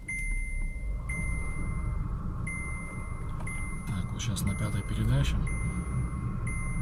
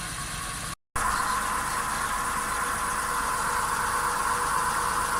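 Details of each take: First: VW Polo Sedan on factory Kama tires, front left wheel raised, heard inside cabin in fifth gear at 60 km/h: steady low road rumble, no hum; left front wheel bearing healthy, whereas the right front bearing hums. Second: Volkswagen Polo Sedan on original Kama tires, raised right front wheel spinning in gear: steady droning hum with a faint tone near 1 kHz, clearly audible inside the cabin but barely outside; worn right front wheel bearing (flagged at inspection), needs replacement (SKF VKBA 3569).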